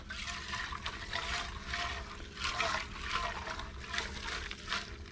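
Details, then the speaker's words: 1936 Johnson Seahorse Model 200 two-stroke outboard fuel tank being shaken: uneven sloshing with a gritty trickling rattle from old fuel gunk and chunks inside; sediment in tank, not mainly rust, tank needs cleaning. "Hopefully you can hear all that sediment. That's bad."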